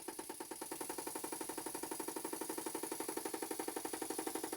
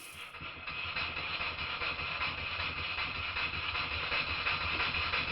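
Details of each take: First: Stuart Models No. 10V model steam engine, non-runner, on air test after slide valve reset: sharp, even knocking about four times a second like a pneumatic drill, from the flywheel loose on the crankshaft; slot-head grub screw to be tightened. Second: Stuart Models No. 10V model steam engine, previously a non-runner, after repair with slight crankshaft end float considered common and not a problem; a quick, fairly even chuff of about three beats a second with a hissy airy tone, running smoothly.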